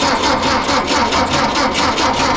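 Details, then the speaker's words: 1952 Volkswagen Beetle split window standard, first start after sitting 40 years with spark confirmed: rough, uneven pulsing run with a thin rattly tone that never settles; carburetor float stuck and carb leaking. "hold on what's up floats bad in the carb oh it's p yep all right well let's figure that out and bring you guys back"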